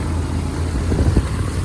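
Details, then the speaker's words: 1994 Dodge Dakota with the 6-cylinder engine, somewhat oily, idling once it was started; the starting trouble is suspected to be the neutral safety switch. A steady, even low rumble with no knocks or misses; normal idle. "I mean, as you hear, it sounds pretty good."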